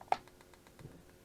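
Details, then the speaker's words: 30-year-old Carver Cascade 2 caravan water heater after service, on temporary gas and 12 V supply: quick even igniter ticking, about seven to eight a second, then a soft whoomph as the solenoid opens and burner lights straight away; normal ignition. "So when we flick the switch on the control panel here, after a short period we should get the igniter sparking and the solenoid open and flame."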